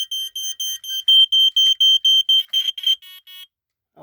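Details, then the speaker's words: Code One React smoke alarm, worn unit being test-triggered: shrill high-pitched fast-pulse piezo chirps, about two a second, then stopping; alarm sounds properly. "The alarm is a bit beat up itself, but you know what? It still works. And I'm very happy with it."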